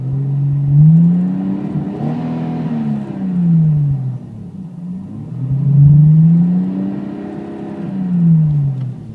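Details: Japanese-spec twin-turbo Toyota Supra MkIV revved about every three seconds, each rise uneven and stumbling; misfire-like behaviour, cause unknown.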